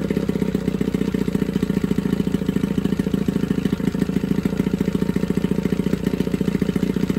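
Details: Johnson 9.9 two-stroke outboard (kicker motor) after a carb kit rebuild and new plugs gapped to spec: quick, steady idle putter with a crisp firing beat and no stumbles, pretty quiet; carburetion sounds right, normal idle.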